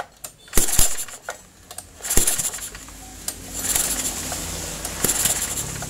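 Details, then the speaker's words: Four-stroke portable generator engine after adjusting intake and exhaust valve clearances at TDC and refitting the spark plug: four recoil pulls, each with a sharp pop as the piston comes up; compression is present. "suara letupan. Itu berarti kompresi sudah ada dan pengaturan sudah dipastikan tepat."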